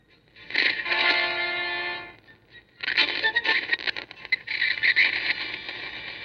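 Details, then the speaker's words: 1974 RCA AS128e 12-inch solid-state black-and-white TV under service: shrill steady squealing with crackly bursts cutting in and out over the sound; intermittent audio fault, not a loose connection, cause unresolved. "We're having intermittent sound crashing and squealing."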